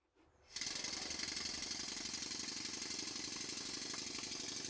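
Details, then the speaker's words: Stuart Models No. 10V model steam engine, previously non-running, after tightening loose flywheel grub screw that caused knocking: hissy even exhaust chuffs about four a second, no knock, but beats soft and late; valve timing retarded, air admitted after top dead centre. "what I'm doing at the moment is looking at the valve timing because it sounds very late to me and indeed it is"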